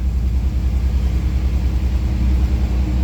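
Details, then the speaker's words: 1988 Ford Bronco II after replacing fuel filter and both fuel pumps (including in-tank): low, even rumble with light throttle blips picking up cleanly, no stumble or misfire; better response, idle still suspect. "yeah. That it responds so much better. It's getting more fuel. That's great."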